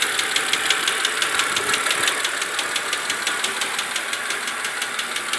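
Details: BMW Z4 E86 2.5i 177 hp at idle: sharp, light metallic ticks about three per second, steady; changing oil from 0W30 to 10W40 did not help, source unidentified.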